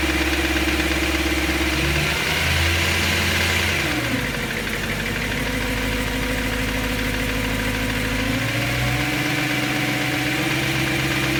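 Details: BMW M3 S65 V8 idle after bearing replacement: light, fairly regular tick about three or four per second over the idle; noise persists, source not pinned down.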